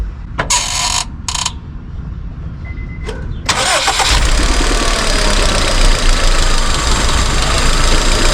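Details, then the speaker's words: 2002 Honda Civic with misfire codes P0300–P0304 and spark plugs about a month old: engine catches and idles unevenly with a recurring stumble, still missing and worse after swapping coils between cylinders; misfire traced to a faulty ignition coil pack, all four coils replaced. "Yeah, still definitely missing. Oh, got worse. That means it's the coil pack."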